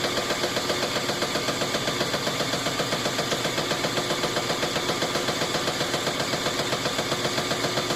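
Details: GE top-load washer in spin cycle after the clutch shifter was replaced: a steady rapid bang, nearly four knocks a second, over its running whir.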